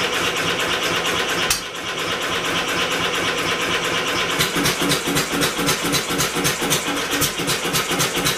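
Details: Homemade double-expansion 4-cycle engine converted from a two-cylinder air compressor, first firing with electric motor assist: rapid ticking about four beats a second over light clatter, catches but won't keep running; owner suspects the original-pulley flywheel is too light.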